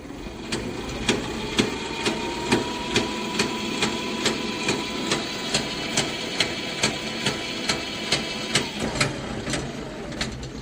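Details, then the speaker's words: Electric tricycle with one rear wheel lifted and spinning free under throttle: sharp metallic clanks a little over twice a second over motor whine, seeming to come from the gearbox at mid-body; later cured by adding gear oil. "朋友们，能听得见吧？它这个声音啊，感觉像是发生在这个车厢中部，就是齿轮箱那个位置。"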